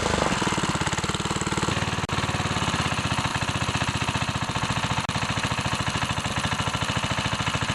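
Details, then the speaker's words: Older Briggs & Stratton 3.5HP rototiller engine after a carburetor rebuild, with the carb readjusted to 1 3/4 turns out: even, rapid single-cylinder chugging with no misses or surging. Running properly. "everything runs good what I did is I readjusted the carburetor"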